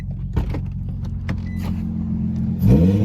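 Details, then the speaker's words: Wrecked Infiniti G35 (300 hp) with straight-pipe aftermarket exhaust and a smashed cold air intake: loud, steady idle rumble over key jingle, then a quick clean rev; engine sounds good and healthy. "um but it starts nice it sounds good it's fast it's 300"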